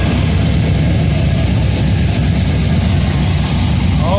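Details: Budget cammed 5.3L V8, first start, on a base tune and not fully tuned, with repainted headers. Deep lumpy idle now firing on all cylinders, even and steady, with no knocking, clanging or banging. Normal idle.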